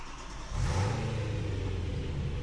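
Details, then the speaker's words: BMW S65 V8 with new serviceable fuel filter kit fitted: fuel pump fuse reinstalled and engine cranked before airbox refit to check for leaks; catches after a brief crank and settles into a steady, smooth low idle, sounding healthy. "put the fuse back on for the fuel pump number and then go ahead and crank it over uh before we put the airbox on so we can check for any leaks"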